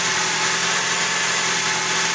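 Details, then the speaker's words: Toyota Tarago/Previa/Estima TCR10 after replacing the separated accessory drive shaft (SADS): even, steady idle with a smooth hiss, the former rattling and screaming from the accessory drive gone. "all that rattling and screaming noise is gone beautiful"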